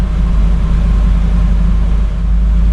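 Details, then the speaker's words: 1999 Land Rover Discovery, long-sitting truck, after ECU/BCU swap and immobilizer light going off: deep, steady, even idle rumble with no stumble, tick or knock. Normal idle. "Looks like the immobilizer light is off. Let's give it a go. There we go. It runs."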